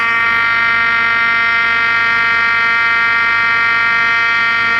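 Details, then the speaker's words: 1958 Perdio PR7 Park Lane transistor radio found in an attic, first power-up on the bench: loud, steady shrill howl with stacked tones over faint crackle. Nasty noise attributed to the amount of rubbish inside the set. "What a nasty noise. Where's the volume? Unsurprising with the amount of rubbish we've got going on in here."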